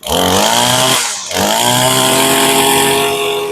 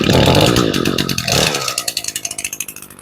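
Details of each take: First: Warm small two-stroke lawn equipment restarted with its gas tank emptied for winter storage: high buzz drops out and surges back unevenly as the carburetor runs dry before stalling; fuel starvation. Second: Two-stroke weed eater started for winterizing, warming up: high buzzing at speed settling to an even, steady idle putter; well tuned and healthy.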